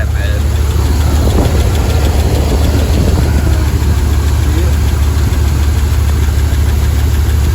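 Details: Dodge 5.9L V8 truck after timing cover gasket job, harmonic balancer pulley looking wobbly: loud, rough idle with a faint quick tapping and slight chirp; owner says a lifter tick developed during the job, cause unknown, possibly chain slap.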